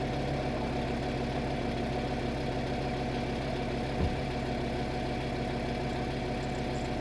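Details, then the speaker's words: VW Touareg 7L 2.5 TDI R5 diesel after glow plug replacement: started instantly, no smoke; steady, even five-cylinder diesel idle with smooth low rumble and no misses or knocks; healthy engine. "it started instantly I can hear the engine I don't see any smoke at all oh my god oh my god this was a great success"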